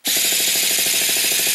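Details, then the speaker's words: Traxxas nitro R/C truck (T-Maxx/Sportmaxx) with 2.5 engine, mounted on a stand: fast, even cranking patter of about a dozen pulses a second with no firing; wouldn't start, apparently because it needed fuel priming. "start okay so I did some looking around and try to figure out why I wouldn't start and turned out that I just primed it a little bit I think is what it was"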